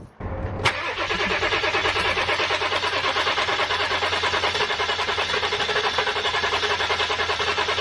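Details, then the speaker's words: 7.3 diesel van, new starter fitted: steady, even cranking with regular compression pulses about once a second that never catches, as air is pushed from the lines out through the fuel filter bowl. No-start from air in fuel lines. "ll that [ __ ] air through the lines and it'll bubble up it'll bubble up through the fuel bowl or whatever you want to call it where the fuel filter is the bubbles will come up through there and then I should push the fuel into the engine should have no problem"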